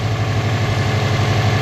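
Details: 2002 bugeye Subaru WRX just after Fluidampr crank damper install and coolant refill: steady, even low idle rumble with no knock, wobble or rhythmic tick; crank pulley runs dead straight, engine healthy.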